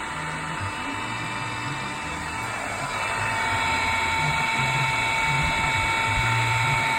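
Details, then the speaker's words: Repaired 240V 3hp single-phase 2850 rpm motor, broken end casing fixed, bearings and fan refitted, temporarily wired off a 16A plug, moved from bench to floor: smooth steady hum with clean constant whine, no knocking or grinding; normal motor running. "there we have it a bit noisy on the wooden bench let's just lift that off there put it down onto the floor"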